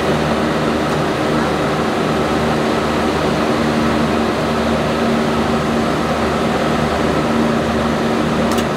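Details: Generator with a 1106 diesel engine, after injection pump droop adjustment and voltage setting, during a load test at 100 load. A steady, even drone with no rise and fall in speed; the governor is stable, normal running under load.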